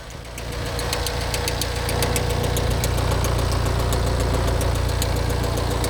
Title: Mini Countryman Engine Knock